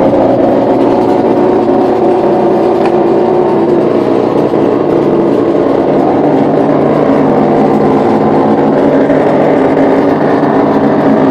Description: Just get a new LG Refrigerator Today (LFC20786) Plug it in and making some loud noise. It's sound like a Motocross.